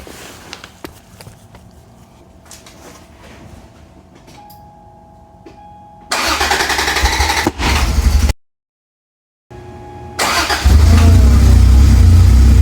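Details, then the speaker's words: Toyota Cressida MX83 on a freshly built temporary exhaust, cold start after reconnecting the battery: starter grinds, the engine catches, then idles low and slightly lumpy with good oil pressure; owner suspects distributor adjustment is needed. "She's running. Got her fired up. The idle's a little rough."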